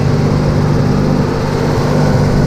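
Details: Restored Mitsubishi 3000GT VR4 on its first shakedown drive: a steady, raised engine hum with no dip or hunting, well above normal idle. High idle; cause not found.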